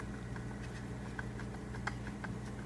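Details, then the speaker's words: 2005 Mercedes W163 ML500 (M113 V8), old water pump, possibly original Mercedes part, rocked by hand during the water pump, thermostat, tensioner and idler job. Loose irregular clicking over a low hum shows bearing play; pump was on its way out. "I'm going to grab this side and I'll show you that play you'll be able to hear it too"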